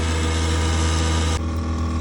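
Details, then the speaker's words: Worcester Bosch 30 SI combi gas boiler (GC 473185), case off: loud, rough droning hum with a rattling edge from the worn-out fan; fan has had it. "Alright, let's have a listen with the case off. Safe to say I think that fan's had it."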